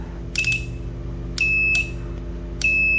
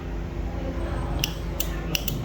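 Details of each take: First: 12V 15A T-type relay (for stabilizer) bench test: with 12V from a battery on the coil and multimeter on the contacts, three clean high continuity beeps (short, longer, held) sound each time it is powered, showing the relay contacts closing. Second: 12 V 15 A T-type relay tested by touching it to a 12 V battery: four crisp, loud snaps in under a second as it pulls in firmly each time; a loud click means the relay is good.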